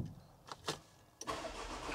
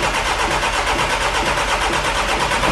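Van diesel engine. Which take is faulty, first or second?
second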